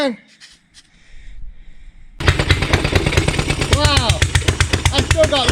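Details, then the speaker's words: Rebuilt Stover Duro 1/2 HP upright air-cooled hit-and-miss stationary engine, over 100 years old (c.1917–1922), first run in 50 years: sharp even exhaust pops over a low thump, runs steadily but still needs tuning. "that's his first run over the 50 years I've still gotta set it in it's still got a lot more a lot more work to do"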